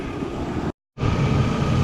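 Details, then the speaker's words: Chevrolet S10 Xtreme with newly installed 4.3 V6, after its first drive and checked for leaks: a steady, even low rumble with no knocks, ticks or misses, nothing spraying. Normal idle. "good nice and nice and smooth nothing spraying out anywhere for sure I think she might be good"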